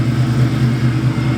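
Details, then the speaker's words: Heavier new clutch just installed, engine idling before first drive: even idle with low steady pulse, no whirring or chirp from the clutch; release bearing quiet, no noise, healthy. "I mean you guys can hear there's no draw very noise or nothing"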